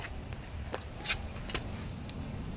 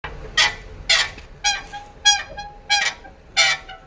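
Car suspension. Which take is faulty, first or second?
second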